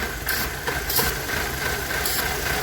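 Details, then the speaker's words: Rough shaking misfiring idle; carb cleaner sprayed around PCV valve hose briefly steadies idle, shaking returns as it dries; vacuum leak at PCV valve, replaced. "misfiring like this well if you listen to that barely running shaking so i pull that cover off if you think there's a vacuum leak spray some carb cleaner around the uh backing hose as a pcv valve stuff like that and we'll see if it'll idle up or fix a mist"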